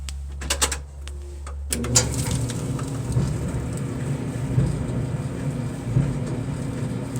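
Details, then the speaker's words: KitchenAid Superba gas dryer, empty, after replacing a worn drum support roller: steady low drum rumble with only faint light ticking and no squeal or thumping; it runs smoothly and much quieter than before. "sounds a whole lot better than it did before"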